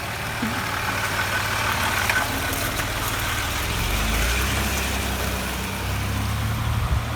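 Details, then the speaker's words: Land Rover Discovery 3 / LR3 with rebuilt 2.7L TDV6 (Ford Lion) diesel, running after rebuild: steady, even idle with smooth low rumble, no knocks or ticks; oil pressure good and rising quickly, engine sounds healthy. "look at that engine is running we got oil pressure and it's no longer broken"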